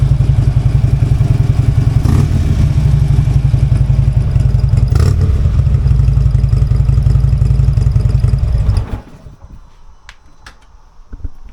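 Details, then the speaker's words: Harley-Davidson V-twin cold start after sitting several rainy days, before fitting new breather: loud, deep, loping potato-potato beat at about three to four pops a second holding steady; healthy idle. "I know this is a cold start. Bike's been setting up for several days because it's been raining so much."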